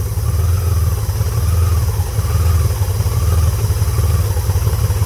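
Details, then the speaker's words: Honda Goldwing GL1500 idling; with the disconnected air-breather vacuum hose covered, steady low idle with soft rising and falling whistle and no popping; backfiring returns when uncovered, vacuum leak found at that hose. "let's see if we can get some light in here so you can see this how it's going to cover up this hose backfiring goes away"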